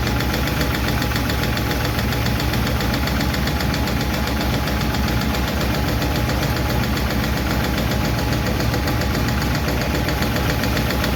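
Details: 1951 Chevy truck engine at steady idle after starting, with light, uneven clicking about three or four a second; a lot better than before, but number 4 intake and number 2 exhaust still tick while number 2 intake seems okay.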